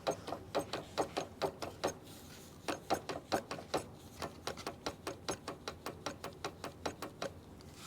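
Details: 2021 Tata Altroz, about 50–60,000 km, never in water: intermittent underbody noise on rough roads, not over speed breakers. The removed steering rack, rusted inside, is moved back and forth and gives sharp, uneven metallic clicks: worn steering rack rattle.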